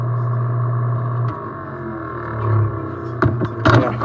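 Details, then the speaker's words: Coleman mobile home furnace: steady hum, then the gas valve clicks open with power but there is no burner flame, so the safety flame sensor shuts the valve; cause is a spider web blocking the gas orifice. "so there's no ignition you can hear the valve clicking but no flame"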